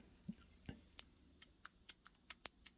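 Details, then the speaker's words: Motorcycle clutch basket with grooved, worn fingers, rocked by hand: sharp irregular light clacks from about 1/8 inch of free play, caused by failed damper cushions; a bad basket. "can hear that. You can see the play. Just like an 1/8 of an inch play. Bad."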